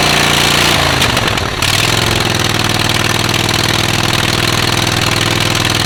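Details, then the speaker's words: Rusty auction John Deere riding mower, first start with choke and gas poured in: loud, raspy exhaust popping about four beats a second over a harsh single-cylinder idle, from holes in the muffler. "muffler's got a couple holes in it so probably not going to be as quiet as we think"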